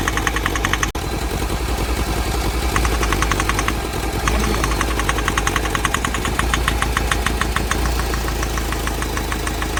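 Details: Mahindra Scorpio mHawk diesel at idle, replacement engine; sharp steady knock about three per second; compression and rod length on cylinders 2 and 3 checked OK; knock stops when cylinder 2 injector is disconnected, mechanic suspects seized piston.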